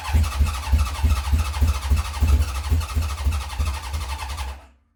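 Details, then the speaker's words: 1970 Honda CB750 K0, second start attempt after decades sitting, choke on, carbs primed by syringe, battery weakening: steady chugging crank at about three beats a second with some coughing and spluttering that never catches; cranks but won't fire. "So we'll give that a stop now. So some coughing, spluttering."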